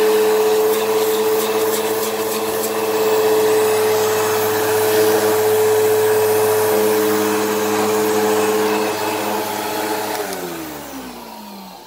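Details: Eureka Whirlwind True HEPA 4383 vacuum on high setting: steady high motor roar with a constant whine that winds down as the brush stops; the brush roll bearings sound worn and it probably needs a new brush roll, while the motor sounds fine.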